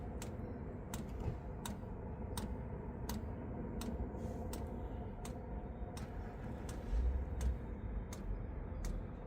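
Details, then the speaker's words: Chinese diesel heater in Chevy Express camper van, fully running: slow evenly spaced dosing fuel pump ticks about every 0.7 seconds over a low hum, recorded close up; normal. "when this thing is running and it's fully pumping the ticks are very slow so it's not like a constant tick um and normally we can deal with it just fine uh no issues there"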